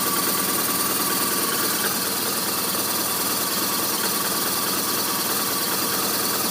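Boxer twin idling with an uneven, lumpy beat and a hissy mechanical clatter on top; the idle isn't settling smoothly.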